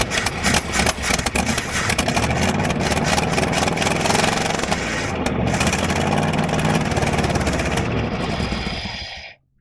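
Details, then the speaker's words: 1983 Chevy C20 truck, unlicensed since about 2008–09, likely nearly out of gas, cranked in neutral: cranks briefly, catches, rough uneven beat that steadies before shutoff; engine starts and runs after long storage. "well I guess at least we know it runs now"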